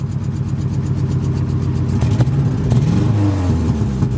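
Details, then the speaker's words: 1998 Ford Ranger XLT Extended Cab with about 197,000 miles, just started: low engine note stumbling unevenly as it revs and settles, an ongoing misfire; an exhaust leak is also mentioned. "it won't start otherwise and yes it does have the misfire still sadly"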